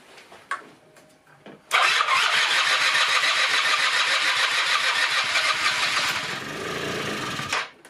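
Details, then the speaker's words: 1996 Rexy 50 two-stroke scooter, barn find, first start after 13 years, after a starting aid: catches after a few knocks and settles into a crisp, even buzz with no misses, running on tank fuel and taking throttle; normal running. "jetzt läuft er tatsächlich mit Treibstoff aus dem Tank bisschen laufen gucken an der ist jetzt so 10 Minuten viertelstund gelaufen soweit passt al er läuft der nimmt Gas an"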